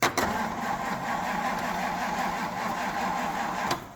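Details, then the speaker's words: Classic Ford engine on its first start attempt in years. A laboured, dragging starter churn with slow, sluggish compression beats for about four seconds: very slow cranking. "that couldn't crank any slower that's definitely not what we want to be doing"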